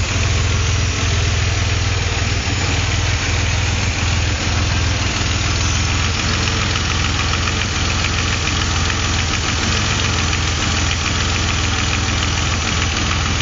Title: weird hissing noise